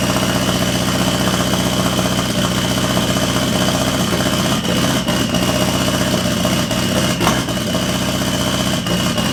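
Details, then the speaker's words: After adding an engine-to-transmission ground strap (there had been none to the chassis), the engine catches and settles into a steady, even idle with light throttle blips; it runs smoothly and normally. "it's all boys that's it guys it's on finally man Wow all this hard work it's worked it's it's all paid off"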